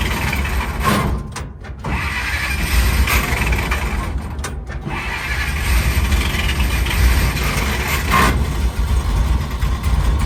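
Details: 1940 Dodge VFA32 winch truck, 85 years old, first start out of gear: cranks, catches and runs a few seconds with uneven pulses before fading. Fuel starvation.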